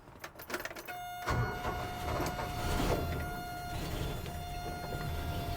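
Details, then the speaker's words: Toyota fan clutch after adding 10,000 cSt silicone fluid, engine revved a little warmer: the fan roar swells as the revs come up, then fades as the clutch disengages normally, simulating highway behaviour. "So, the fan hit and then it disengaged as it should now that it's a little bit warmer. That's simulating what it would do on the highway."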